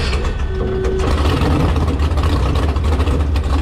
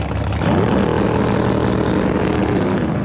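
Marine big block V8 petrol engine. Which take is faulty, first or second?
second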